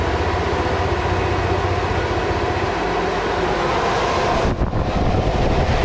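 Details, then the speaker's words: Mercruiser 8.2 marine engines with overheat code and water pump coolant leak, key on, engine off: steady, even whirring hum as both fuel pumps prime normally. "let's see if we can get it to prime and see if we don't hear it priming"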